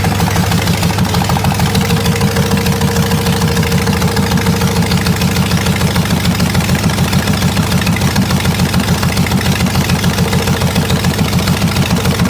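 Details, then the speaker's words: Buick 401 nailhead in a rail dragster: a hard, even knock about three times a second over a lumpy idle, in time with the crank. A connecting rod is striking the oil pan, caved in at the front from storage. "the oil Pan's bent the Rod's hitting the freaking oil pan the bottom of the oil pan is caved in in the front I just put my hand on it and it uh the rod is hitting the oil pan"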